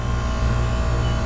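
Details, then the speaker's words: McQuay water-source heat pump in cooling mode, after contactor replacement, with the strainer clean. An even, constant low hum with no knocking or surging, at 55 psi suction and 185 psi head, down from over 300 psi before: normal running. "all right everything's going well got a 55 pound back 185 pound head not over 300 anymore and climbing"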